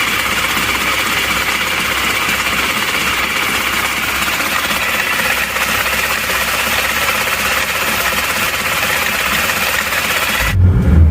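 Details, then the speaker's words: Isuzu Panther diesel with a replacement block idling loud and lumpy, with uneven clatter, shaking, and thick smoke; rougher than other Panthers; owner suspects too-low idle rpm and a fan belt noise. "asapnya tebal gitu ya emang agak kasar dibanding dengan mobil-mobil Panther yang lainnya ya Jadi kalau kita bandingkan ini suaranya lebih kasar"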